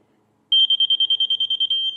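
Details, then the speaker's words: Laser level receiver used for grading dirt work at a sawmill: a rapid string of about twenty high, even beeps, meaning really close to grade, settling into the solid tone that means right on grade. "When you hear the little air mitten beeping going on, that means you're really close. And really close is good enough for me."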